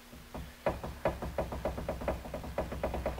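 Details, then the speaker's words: Rear wheel bearing check on a C3 Corvette, passenger side, rotor rocked by hand: sharp metallic clunks two or three a second from play; bearing not bad but worn, on its way out. "that the noise you hear you don't want to hear that noise so this one probably wouldn't you know you'd probably use it for a little bit but it is on its way out"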